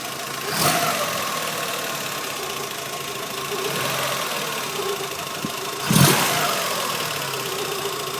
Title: Mk2f polo strange noise